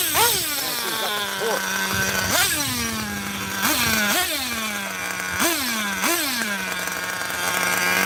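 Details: 27-year-old vintage nitro RC car running after earlier bogging (a new plug was suggested, failsafe not set): high buzzy idle snaps up on each throttle blip and drops quickly back to a steady note; the tuning richens up the bottom end.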